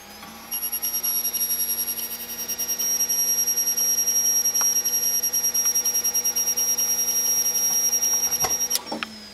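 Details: Samsung HLT6156W TV: a thin, steady high-pitched whine over a faint fluttering pulse that then cuts off abruptly. Cause unknown.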